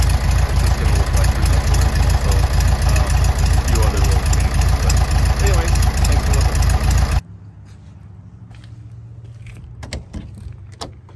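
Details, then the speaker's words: 1967 VW Beetle, original H 1500 engine, freshly rebuilt with new clutch, idling with a steady, even beat and no knocks or misses before shutoff; runs really good, normal idle. "runs really good fun to drive and it's a little bit more fun"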